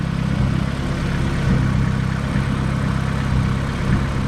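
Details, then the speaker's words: 1993 Honda Civic EG hatchback idling after Skunk2 Alpha radiator and Spal electric fan install, coolant bled, fan kicks on at 196°F; strong even whir over steady idle, no rattle or wobble; normal cooling fan operation. "this fan is awesome it makes my old fans seem like a toy"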